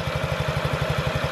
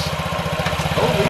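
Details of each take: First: 2017 Honda Ruckus NPS50 50cc four-stroke scooter after idle adjustment, tachometer reading about 1380–1420 rpm; even, steady putt-putt of about ten beats a second with no misses or stumbles; normal idle. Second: 2017 Honda Ruckus NPS50 50cc four-stroke scooter idling at almost 3,000 rpm per an inductive spark-plug-wire tachometer; rapid, even putter with no dip or hunting, far too fast; idle speed set too high.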